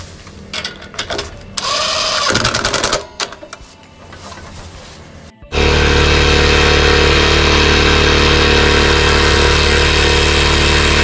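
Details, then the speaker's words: Pressure washer engine that was surging and hard to start, after cleaning a clogged port in a small black carburetor part: starts and holds a steady, even speed with no rise-and-fall surging; now runs smoothly. "okay I think we got the problem resolved now yeah I think what it was I'm sure well I'm sure what it was is that little black piece that we had to pop out and clean out the little Port"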